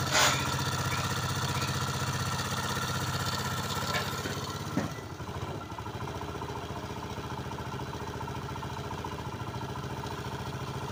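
Small single idles with an uneven, slightly rattly beat around four a second; something's off inside, but the noise alone doesn't pin down the cause.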